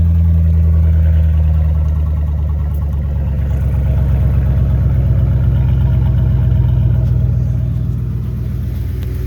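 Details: 2009 Ford F350 5.4 V8 at startup and idle with no muffler: deep, throbbing low rumble with a loud, raw drone; exhaust drone from the missing muffler.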